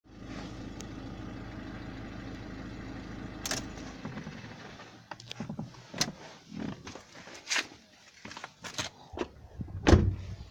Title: FORD CMAX 1.6 2008y, Strange noise after 20sec from engine shutdown